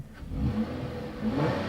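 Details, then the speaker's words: Nissan Maxima V6 with about 230,000 miles, original water pump, stock exhaust with OEM replacement mufflers, foggy day: quiet even idle with a light blip and faint fine ticking from aging fuel injectors; normal idle. "It's a pretty quiet engine. What you're hearing there is just the fuel injectors. They make a little noise as they age, but it's still got tons of power left."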